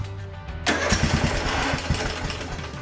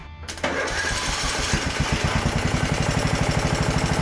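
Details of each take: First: Craftsman DLT3000 42-inch lawn tractor after replacing an ignition switch with bad internal contact: quiet cranking, then it fires right off and settles into an uneven but running idle; it still needs a real choke. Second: Craftsman DLT3000 42-inch lawn tractor, hard to start: even starter cranking about three beats a second for several seconds without firing; jumping the solenoid works, so the ignition key switch is faulty.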